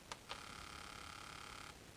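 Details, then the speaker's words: Fuel injector on a pulse tester fed injector cleaner under low pressure from a garden sprayer, being cleaned: two brief clicks then steady high buzzing hiss for about 1.4 seconds as it pulses and sprays cleaner normally. "we go and we are running our cleaner through that feel injector pretty nice"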